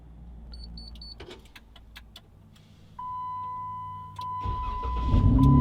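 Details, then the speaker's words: Remote start of a 2015 Jeep Wrangler JK just after a plug-and-play remote starter install (iDatalink CH5 harnesses, EX2W-2101 brain), no wires cut: beeps and relay clicks, steady chime, then engine cranks and catches with rising hum, a clean normal start. "your remote started that's insane so this is this vehicle remote started with absolutely no cutting"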